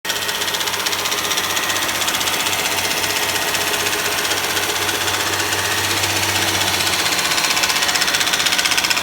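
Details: Honda Legend engine: fast, even ticking knock about three times a second over the engine at about 2000 rpm; source not pinned down.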